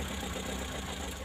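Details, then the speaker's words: Colt T120 idling: a quiet, even idle with no stumbles or jerks; the engine now runs smoothly. "Nah, sekarang sudah lancar, teman-teman, langsung tanpa hentakan sama"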